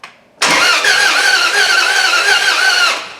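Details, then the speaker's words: Jeep 4.7 HO V8 replacement engine in a Dodge Ram 1500, valve cover off, cranked by jumping the starter relay: even, steady starter whirr for about 2.5 seconds with no bad valve noise and the cam spinning; normal cranking. "looked pretty straight didn't it you know what else i don't hear any crazy bad valve sounds either and my cam is spinning right"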